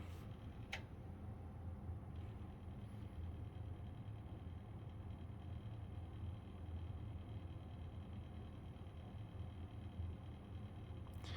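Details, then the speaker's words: PlayStation 2 SCPH-30001 during laser repair testing: steady low buzzing rumble, disc drive vibrating in its frame because its mounting screws are not installed. "Yeah, don't worry about that noise. It's just because I don't have the screws in it. It's vibrating."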